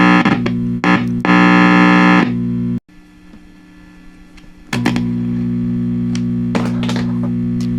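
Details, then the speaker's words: 1966 Fender Deluxe Reverb amp at power-up, testing inputs: loud low buzzing hum that cuts out about two seconds then returns steady; intermittent hum traced to a broken joint leaving the bias filter capacitor open. "Okay, now it's humming. The inputs all make sound. We need to figure out what is causing this. There it goes in and out."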